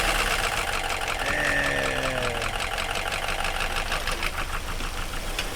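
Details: FR-S with freshly swapped spare FA20 engine, first start after priming; cranks, catches and settles into a steady, even idle with no knock or misfire; swap runs fine.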